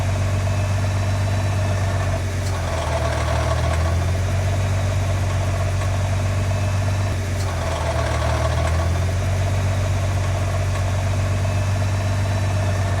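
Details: Nissan GT-R R35 at steady low idle with a metallic rattle swelling up every few seconds, heard twice; bellhousing rattle typically caused by a failed bellhousing unit, fixed by an upgraded housing with hardened steel inserts and upgraded bearings.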